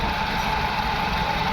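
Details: VW Vento petrol engine after repair of a misfire and pickup loss (P0300/P0201, cylinder 1 injector had no current, now pulsing). EPC and check lights are gone, vibration is zero, and it idles smoothly and evenly with no missing.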